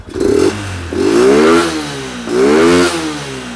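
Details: Yamaha Exciter 135 motorcycle upgraded to a full 155 VVA engine using stock Yamaha parts, freshly rebuilt about a week earlier; three clean throttle blips rise and fall smoothly with no rattle, settling evenly. Normal revving.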